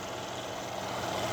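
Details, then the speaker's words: 2014 Mercedes CLS 550 V8, one owner, dealer-maintained, 50,310 miles, heard with the hood up; smooth, even hum with no knocks, ticks or misses; clean, healthy normal idle. "can hear it idling very happily. And everything, it presents as new as a 2014 could appear, I think."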